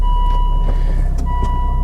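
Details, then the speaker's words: 300,000-mile Volvo XC70 diesel, freezing cold start after glow plugs cycled: catches after short crank and settles to deep, even idle rumble under a dash chime; healthy cold start and idle. "Let's fire the old girl up then, shall we? Give the glow plugs a second."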